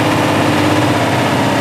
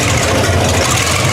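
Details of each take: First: 1960 GMC V12, points ignition, idling after the miss was fixed by tightening a loose spark plug: smooth, even idle with a steady low rumble and no dropped beats for nine seconds before shutoff. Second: 1960 GMC V12 with new plugs, deep idle with an uneven, lumpy beat as one cylinder drops out now and then; the miss was traced to one loose, under-tightened spark plug.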